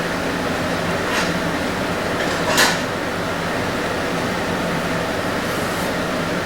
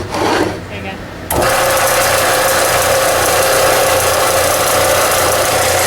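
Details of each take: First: Harbor Freight belt sander: the motor gives a steady electric whir, but the belt does not move. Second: Harbor Freight belt sander after repair (motor ran but belt didn't move; cleaned machine and very dirty, unseized bearing): brief start-up rustle, then steady, even hum with constant pitch and no knocking or rubbing; sounds healthy.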